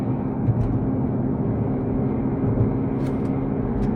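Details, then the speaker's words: Mercedes 6.2-liter naturally aspirated AMG V8 on dyno under load: steady howling hum from the front end that stops when steering left; front left wheel bearing found worn. "so this is the noise that we're hearing it's kind of a howling humming noise"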